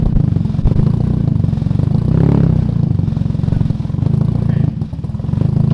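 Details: Turbo KA (KA-T) engine on first start after warped turbo manifold gasket replaced: fast even knock over low idle rumble, keeping pace with engine; knock earlier unsure head or bottom end, rod bearing knock.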